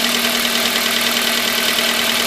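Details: 2004 Toyota Corolla 1.8L 1ZZ-FE, idling: sharp rhythmic knock under a hissy top end; rod knock from bad connecting rod bearings, fixed by replacing bearings via the oil pan.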